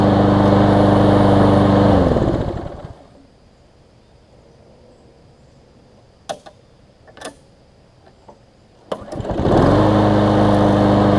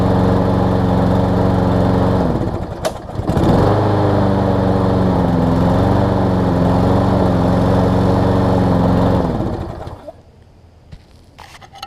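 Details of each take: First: Newer Lawn Boy mower, previously sometimes failed to start when warm; after carb cleaning and ten to fifteen minutes' running, steady single-cylinder drone cuts off, a few clicks, then fires instantly back to an even run: normal warm restart. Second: Lawn-Boy mower with Briggs 675 engine, said to sometimes not restart when warm, low on gas, before carb cleaning: engine drones steadily, sags once, then dies away; sounds starved for fuel or air, suspected lean-running dirty carburetor.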